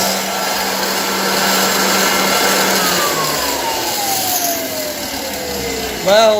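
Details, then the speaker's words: 1923 GE Premier Junior vacuum cleaner on test, motor whining under rough rushing noise, coasting down then restarting; noisy brush roll bearings, quieter with belt removed. "first things first we have noisy bearings on the uh brushes on the brush that collects the dirt"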